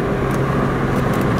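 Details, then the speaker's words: Road test after replacing failed cheap wheel bearings, window up: only steady low tyre roar at road speed, no hum or growl rising with speed; sounds better than before, normal wheel bearing. "put up this window somehow and then uh able to hear it better yeah it sounds better all I hear is tire noise now that's good"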